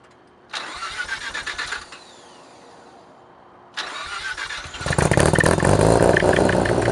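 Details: 1987 Mazda RX-7 with Pacesetter header, custom test pipe and Borla catback, exhaust leaks fixed: two cranks, then a steady, even idle with a clean exhaust note and no puffing or ticking.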